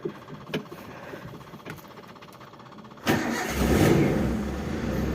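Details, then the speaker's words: 1995 Daihatsu Zebra Espass 1300cc with points ignition, morning cold start after sitting overnight: a few clicks, catches at about three seconds and settles into steady even cold idle; normal cold start. "Oke ini sudah hidup jam 643"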